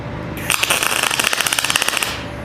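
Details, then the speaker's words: PrimeWeld MIG160Ts on 220 V, solid .030 wire with C25 gas on 1/8-inch steel, at about 20 V with wire speed maxed: uneven crackling pops, about fifteen a second, instead of a steady sizzle. An erratic, sputtering arc from mismatched settings. "Yeah, I don't like that at all. I'm going to turn it up to about 21, now about 20, and I'm going to max out my wire speed."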